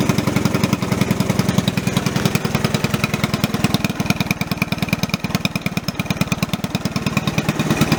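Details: Single-cylinder putter from a 1984 Honda ATC 110 three-wheeler revived after 25 years sitting: oil and air filter changed, carb rebuilt with an OEM kit, tank cleaned and sealed, new fuel lines. Quick, even beats with no misses; a normal, smooth idle.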